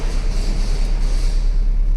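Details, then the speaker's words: Car idling with the AC switched on: a steady low droning hum turns to a shaky rumble and vibration. A scan tool traced it to the radiator fan; the fan motor has play and wobbles. "AC चालू हो गया। कंपन हो रहा है।"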